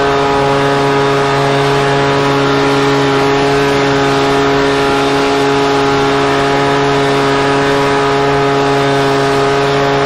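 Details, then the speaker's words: Husqvarna 125BV two-stroke leaf blower after new carburetor and filter fixed a blocked carb fuel passage, run at about 24°F with low and high speed mixtures richened slightly: steady high buzz held at constant speed, no surging or sputter; runs great. "And frankly, I need to put it away for the winter anyways. But it ran great."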